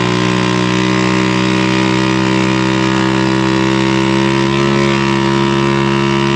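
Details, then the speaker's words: Old Harley golf cart on a test drive: steady, very loud, raspy buzzing drone while the engine runs evenly. Needs a new muffler. Excessively loud exhaust. "all right well so far she's doing pretty good but man is this thing loud definitely needs the new muffler"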